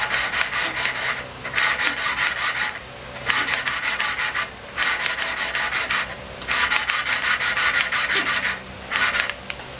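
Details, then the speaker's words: Snow blower engine lacking power, intake valve suspected of not seating: hand lapping the valve, gritty back-and-forth rasping in one-second strokes, growing less grindy as the seat beds in. "You can hear it changing sound, getting less grindy, a little bit more."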